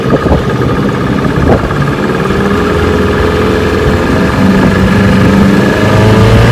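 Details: Restored 1985 Johnson 6 hp outboard (J6RCOB) on lake test run; steady fast two-stroke putter with even firing and no knocks or misses, running normally.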